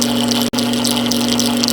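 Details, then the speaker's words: Carpigiani soft serve machine with heater and pump on: a steady, even motor hum with a constant low tone and no knocking or squeal, as the visual test confirms the pump is pumping at full strength; normal pump operation. "Now that we know your pump is pumping at full strength, we're going to stop the machine just by pressing the stop button."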